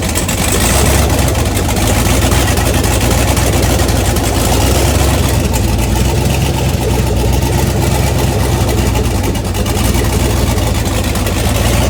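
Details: 1981 Toyota Starlet with 6.0 LS truck engine, Summit stage two turbo cam, twin DT466 turbos, idle surge from overrun fuel cut now fixed: loud choppy V8 lope holding a steady beat with no hunting; healthy cammed idle.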